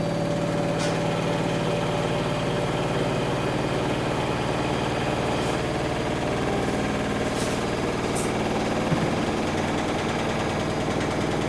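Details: Samsung WW10N645RBW washing machine, first use after installation, leg adjusted to level it: steady even hum at constant spin speed, no thumping, grinding or rattling; rated 73 dB spinning, slightly above conversation level; normal balanced spin.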